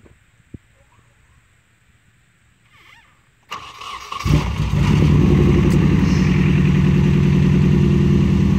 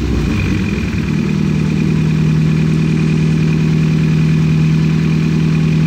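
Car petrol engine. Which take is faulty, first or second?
first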